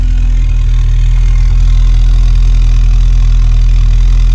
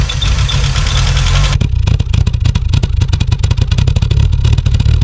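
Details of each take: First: 1986 VW Golf 2, 1.8 GX 90 hp petrol, cold start at about -13 °C after engine problem fixed: deep steady even idle with smooth low rumble, no misses or knocks; starts slowly cold, runs fine after a minute or two. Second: 1986 VW Golf 2 with a 1.8 GX 90 hp engine, stood nearly five years: a loud, uneven low drone at idle that never settles, rough running from a vacuum air leak; the problem was later fixed.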